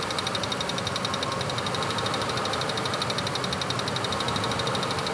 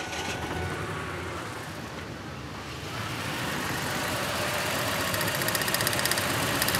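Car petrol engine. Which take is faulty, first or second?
second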